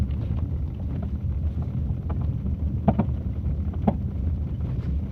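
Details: Audi Q5 on test drive over rough road: rhythmic dull knocks from the right rear over bumps through low road and wind rumble, caused by a broken rear shock top-mount bushing; replacing it fixes the noise.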